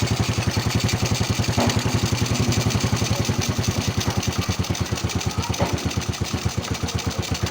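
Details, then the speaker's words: Honda Wave 100S, 20+ years old, after repair for black smoke and frequently fouled spark plugs (cam chain and valves done, original cam): small single idles with an even thump, faint occasional stumble, otherwise steady; normal idle. "นิ่มๆเลยนะครับมันอาจจะมีสะดุดนิดๆหน่อยนะครับอาจจะเดินไม่เรียบสักเท่าไหร่นะ"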